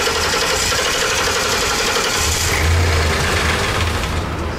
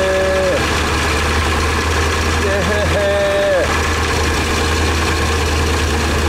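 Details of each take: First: 2012 Ford E350 E-Series 4.6, no fuel pressure despite new fuel pump: engine catches on starting fluid and runs roughly a few seconds before dying, suggesting spark is most likely present but no fuel delivery. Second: 2012 Ford E350 with a new fuel pump that had no fuel pressure, after repairing the wiring at the fuel pump control module (10 psi on key cycle): the engine catches and settles into a steady, even idle with no stumble or misfire.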